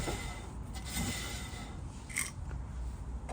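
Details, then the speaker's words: Ford Transit Connect rear drum brake, inspected for a poor handbrake, drum spun by hand. Faint soft rubbing as the shoes just touch the drum; adjustment sounds fine. The worn drum has a lip at the back that limits adjustment. "So this drum, the adjustments on this doesn't sound too bad. You can hear the shoes just touching the drum as it spins."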